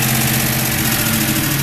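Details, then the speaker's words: 2000 Ford Mustang GT 4.6, back together, idling higher and lower: fast light ticking at engine speed; owner dislikes the ticking and will fully tear the engine down, source not pinned down. "But you can hear it idling higher and lower. I ain't real keen on it right now, but it did go."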